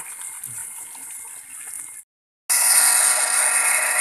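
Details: Sanyo PWH 135 water pump after repair (had weak suction and rough, noisy running; cause given as worn bearings): seal no longer leaks, motor runs smoother, steady even rush of water with strong flow, no grinding.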